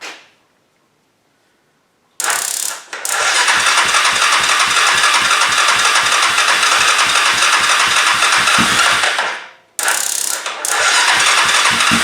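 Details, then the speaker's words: 2002 Yamaha Kodiak 400 ATV on a jump pack after its starter was reinstalled. The starter turns over sluggishly at about four beats a second in two bursts and never catches. Slow cranking because the jump pack is nearly dead. "jump Pack's just about dead that's why it's doing"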